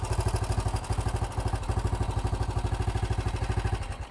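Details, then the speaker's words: 1968 BSA single motorcycle after new carburetor and idle-screw and mixture adjustment: crisp, even thumping at idle, about ten beats a second, steady and regular with no misses; idling healthily. "let give it a BP sounds pretty good that sounds much better"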